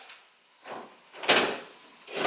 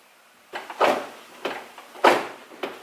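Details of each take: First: Nissan 350Z trunk latch closing after repair: a few short solid clunks as the lid comes down and the latch catches cleanly, no grinding or buzzing; the trunk had stopped latching after drifting, and the fault was traced to the latch actuator. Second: Nissan 350Z trunk failing to latch after a drifting session, heard from inside the trunk. Several hollow slams about a second apart with no firm click; the latch bar isn't catching, later narrowed to a trunk latch actuator gear stuck open.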